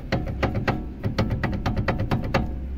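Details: Volga 3110 with kingpin front suspension, wheel removed: sharp dry knocks about three a second as the steering tie rod is rocked by hand; play in the tie rod ball joint, which also seems to be the source of the creak.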